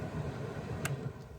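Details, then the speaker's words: 1994 Geo Metro heater blower fan, key on, running on improvised replacement switches after the original fan switch broke. Second-highest speed setting gives a soft, even whoosh with no rattles or ticking; the fan works normally. "This way, a little bit higher. I don't know if you can hear the fan going, but it's going. Middle, off. And over here we've got this way, second highest. Fan is going."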